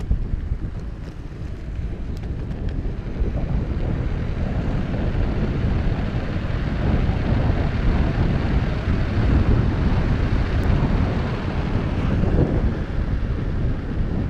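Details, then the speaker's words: Backfire Ranger X1 after replacing the rear hub motor tires, riding a short test on hard road. Even low rolling rumble under wind gusts with no rhythmic scrubbing, which was previously present. Normal tire noise. "I hear I hear the rubber rubber hitting the road but I do not hear that annoying scrubbing sound it might actually be better"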